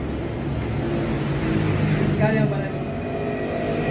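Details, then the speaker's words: Honda TMX125 motorcycle after fixing a misfire and bogging caused by a plastic cover restricting air, carburetor cleaned and spark plug changed: steady, even running, smooth exhaust, no stumble; normal running. "yan guys. Yun lang ang naging problema. Okay na."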